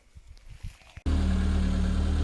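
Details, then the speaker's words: 1997 Peugeot 106 started and moved into workshop: loud deep rough drone with blowing edge; exhaust leak suspected, then confirmed as exhaust rusted through with a hole. "Mikko is moving the 106 in there so we can have a look for where the rust spot is on the exhaust that we suspect, because it definitely sounds like there is one."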